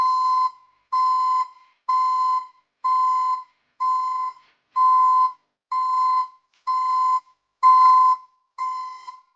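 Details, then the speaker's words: ECCO 530 backup alarm newly installed at the rear of a Chevy Silverado pickup: loud sharp mid-pitched beeps about one a second in steady rhythm, like a commercial backup alarm; working normally. "from what you just heard um the uh recording doesn't do it justice I mean it sounds like a commercial um backup alarm"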